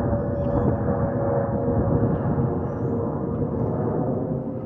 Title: Delta Airlines Airbus A320-211 N325US DL2498 LGA-DTW (FOPP whistling sound)